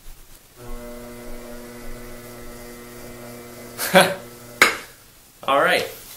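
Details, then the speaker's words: Brent pottery wheel after repair (one piece removed and refitted): smooth, steady low motor hum with no squeak, then handling clatter; squeak gone. "plug in wheel on let's check this out i don't hear the squeak i think that's just the sound of the motor"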